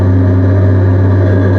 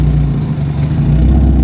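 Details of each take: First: NB Miata with a cheap aftermarket exhaust swapped from a wrecked car and no rear hanger hook: steady deep drone with a slight rasp, acceptable even at high rpm, while the unsupported exhaust rattles badly underneath. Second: NB Mazda Miata after swapping in an exhaust salvaged from a wrecked Miata: loud revving with a loose metallic clatter coming and going under throttle; exhaust rattles against the drop-down underbody cradle removed and refitted during the swap.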